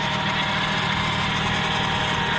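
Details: 1999 Lexus LS400 V8, well maintained, clean oil, no blow-by: steady even idle, no misses, knocks or ticking; healthy, though a power steering noise suggests low fluid.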